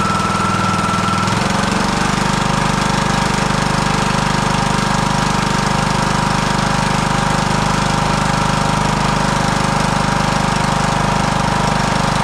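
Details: Husqvarna YTH18542 riding mower, 18.5hp Briggs & Stratton Intek that died during use: after a good spark test and a new NGK spark plug, the engine catches after a second and settles into a steady, even thumping run with no stumbles or misfires.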